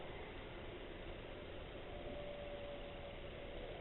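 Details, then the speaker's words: Chinese diesel air heater on bench after 35 minutes running, shutdown: fuel pump stopped, quiet steady fan whoosh purging then slowing right down; normal shutdown fan purge. "The pump has actually stopped pumping. The fan is now slowing right down. As I say now, all I've got now is the fan running slow."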